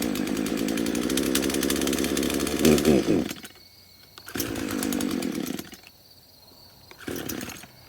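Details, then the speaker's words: Craftsman chainsaw, first start after about five years sitting in a shed, on old residual fuel: buzzes at high speed, drops near silent, then catches in short bursts; seems to have trouble picking up fuel and only runs with the choke on. "okay so it only wants to run with the choke on"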